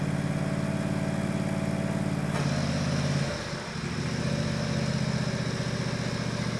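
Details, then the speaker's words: Countax ride-on mower/tractor after transmission rebuild refilled with 75/90 fully synthetic gear oil, first drive; steady even engine hum and smooth pull-away, no knocks or whines from the drive: normal running. "Success, it's alive. It actually works remarkably well."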